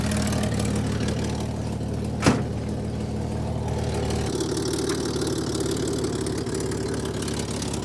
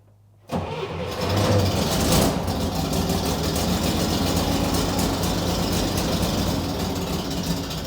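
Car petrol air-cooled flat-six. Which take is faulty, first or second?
second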